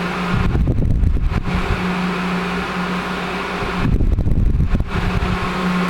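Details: 1980s Sanyo Turbine rotator box fan, cleaned and oiled, switch repaired, on high speed: steady even hum with a low airy whoosh and a soft recurring swell from the rotating grille; runs smoothly.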